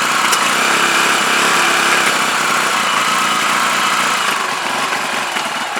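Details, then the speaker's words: CPI SUV125 scooter just after its carb was stripped, cleaned, rebuilt and reinstalled, with the fuel tank temporarily fitted, started outdoors with the choke held. A buzzy, uneven single-cylinder idle that wavers and never settles. Still rough running, cause unknown; owner plans to adjust the carb settings. "right if anything works um a brand new card for this isn't a fortune but i would uh i'd prefer to get to the bottom of why it's playing off"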